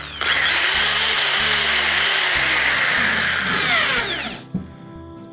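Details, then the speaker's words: Pumpkin electric drill after inspection and reassembly (switch, carbon brushes, armature checked): clean high whine spins up, holds steady, winds down smoothly with no grinding or brush sparking; drill confirmed working normally. "นี่นะครับสำหรับหมุดได้ตามปกตินะครับก็สรุปว่าสว่านนี้ใช้งานได้ตามปกตินะครับ"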